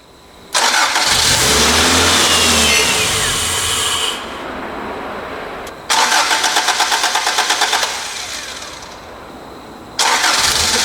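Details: Toyota AE86 project car, first start attempt after long storage with ethanol fuel and a now-working fuel pump: three separate bursts of cranking with regular beats, never settling into an idle. Cranks but no start.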